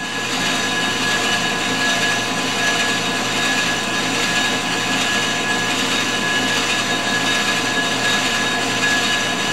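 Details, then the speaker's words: Grizzly G0776 lathe facing a Ford 460 flywheel, tool choked up short and rigid: steady, even cutting hiss with a faint ring and no chatter, a clean facing cut. "short and rigid is your friend she seems to be going really good"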